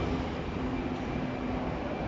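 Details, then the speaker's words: S-15 machine started and running with its fans on: steady, even whoosh with a faint low hum and no ticking or scraping; the fan is spinning smoothly, normal operation. "now as you can see you know this fence is moving yes you hear the sound you know fine is moving okay"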